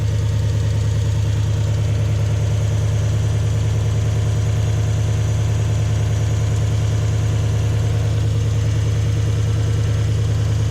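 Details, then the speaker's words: Toyota Hilux with 1UZ-FE V8, towed in for lack of power and poor idle: deep, flat, lumpy loping idle; spark tester shows no spark on one coil, so it runs on only 4 cylinders. "You can see there's no spark happening there. So this thing's only running on 4 cylinders."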